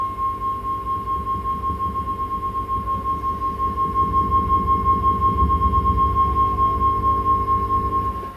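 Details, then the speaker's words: Vox AC30 30th Anniversary Limited Edition amp: steady high tone pulsing about three throbs a second; vibrato works but is thumpy, leaking into the normal channel, possibly via sockets sensitive to board flex. "So there's a bit of funkiness going on in this thing. It's a vibrato working, it's a bit thumpy."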